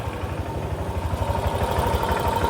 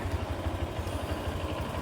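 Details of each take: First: Honda Click 125 scooter running before repair; steady low rattling clatter about three times a second, first suspected crankshaft but traced to worn CVT pulley set, which is replaced; CVT pulley set noise. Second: Honda Click 125 scooter idling after pulley set replacement (crankshaft first suspected); even low putter at steady beat, no scraping or rattle, noise gone, very smooth; normal idle.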